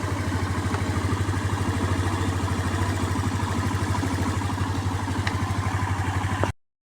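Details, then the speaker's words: Skydrive 125 motorcycle that suddenly would not start, blamed on a valve, after a spark plug from another motorcycle was fitted: it started on one push and idles with an even, steady low putter, no misfire; the problem was only the spark plug. "one click one click umandar galing yan sa motor ko yung spark plug so spark plug lang problema sport flug lang ayos"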